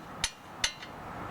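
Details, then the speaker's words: 2006 Scion with both front axles recently replaced, dinging over bumps and in turns: sharp metallic clinks as the suspension is rocked by hand, caused by a loose lower ball joint nut in its tapered housing, worse on the driver's side; planned fix is tightening the nuts and fitting new cotter pins. "So when that's loose, when you put a load and something goes on the bottom of the tire, that's going to make that sound."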